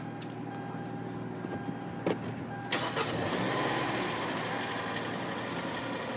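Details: Hyundai after repair of failure to shift out of park: brief starter crank, catches and settles into steady even idle with no knocks or misses; sounds healthy.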